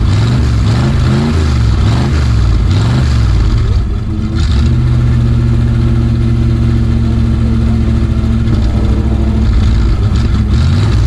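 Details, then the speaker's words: 1965 Dodge A100 van, V8 sat for years, on choke, low on fuel and running on varnished old fuel: lopes and surges unevenly at first, then holds a steadier idle; rough running. "It's definitely trying to run on low fuel, which is not a good idea, but it's running. Well, it's running off of what seems to be pretty much varnish."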